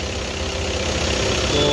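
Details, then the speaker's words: Audi Q3 2.0 TDI after head removal and valve replacement for knocking, misfire and white smoke: quiet, steady diesel idle with an even beat and no knocking or tapping; normal idle after repair. "Car तो परे चल रहा है य देख सकते हो में कोई साउंड नहीं एकदम स्मूथ है"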